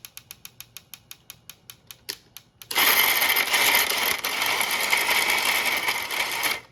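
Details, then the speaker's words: 3D-printed gearbox plastic shredder fed a flexible Go-Go Squeeze cap: steady ticking about three per second, then loud rough crunching grind as plastic creeps and drags through the cutters without cutting cleanly, blamed on cost-saving design. "You can hear that the plastic is definitely creeping, and that's just due to like some of the cost-saving measures of this design."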